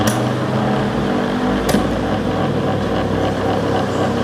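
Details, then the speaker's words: Hatari 18-inch stand fan running slowly with a loud, steady low groan and hum. The motor shaft wobbles in worn bushings. "หมุนช้านะครับแล้วก็มีอาการเสียงดังนะครับ"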